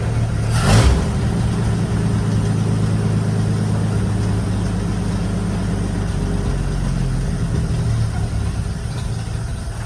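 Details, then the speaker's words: 1952 Dodge Wayfarer after decades of sitting, restarted after an earlier stall the owner suspects was fuel-related: quick catch, then a steady, low, even hum with no misses or knocks, sewing-machine smooth; runs well. "Oh, she's running smooth now. Sounds like a sewing machine."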